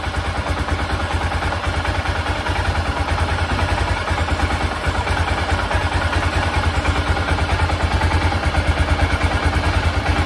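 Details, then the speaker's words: 1996 BMW F650 Funduro single after carburettor rebuild: strong even beat at raised revs without stumbling or cutting out; previously it cut out under gas at higher revs, now sounds much better. "that sounds much better so i'm going to give that a go now and see what happens"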